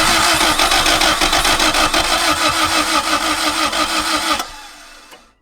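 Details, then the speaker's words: Mk1 Toyota MR2 twin-cam 16-valve project car: fast even cranking about three beats a second, trying to catch but never firing, lots of smoke; cranks, no start. "She did try. Go on, give her it again."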